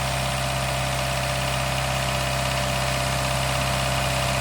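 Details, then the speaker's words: Daihatsu Mira on a really cold start after sitting almost two weeks, with a lifter additive added: a steady smooth idle, the previous lifter ticking now gone. A squeak heard is the alternator belt, with a new belt on order. "The squeaking you hear is the alternator belt. I got a new belt on order, but the ticking noise is gone."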